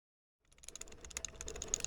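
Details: 2012 Subaru STI at the shifter: quick, irregular light ticking and rattling, bright and tinny, from a worn reverse lockout, before replacement.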